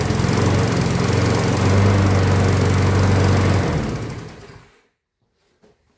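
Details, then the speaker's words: Craftsman mower, single-cylinder flathead engine, front-wheel drive: chugs unevenly at low speed, sags and dies after four seconds, lacks power; dirty carburetor suspected, but plug reads lean, cause unconfirmed. "I'm thinking it is it's uh such got such a dirty carburetor that it hasn't got enough power to run the front end."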